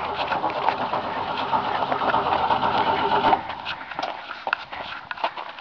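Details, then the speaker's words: Project Sam hot rod with a Holley carburetor on a charging 600–750 CCA marine battery after trouble turning over on other batteries: starter drags slowly, about four laboured turns a second, no start; dead battery, possible wiring issues suspected. "This one's like a 600, 750 cold cranking amp, and it's all so we'll see."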